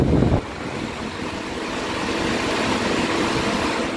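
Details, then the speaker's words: Car with an overheating complaint, radiator cooling fans run at speed 3: steady rushing whoosh with a faint constant hum, one fan louder than the other. Noisy, failing radiator cooling fan. "vieron ahorita escucharon el ruido de los abanicos bueno en este caso fue uno"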